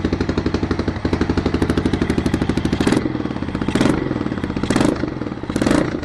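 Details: 1993 Yamaha XT 600 E (3TB) single-cylinder enduro that sat 6-12 years, after carburetor cleaning: loud, even open-pipe thumping with several sharp throttle blips that pick up cleanly; normal running.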